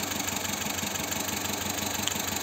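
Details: Car parked, engine idling with shaking: rapid, uneven pulsing beat instead of a smooth hum as a cylinder drops out; misfiring rough idle on one cylinder being traced, injector check planned.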